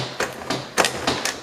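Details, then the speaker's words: Green string-trimmer two-stroke, long unused: four or five rough rope pulls, each catching and dragging, no firing; the engine sticks and slides when pull-started, likely needing disassembly. "If you guys didn't notice, it sticks. It sticks and it slides."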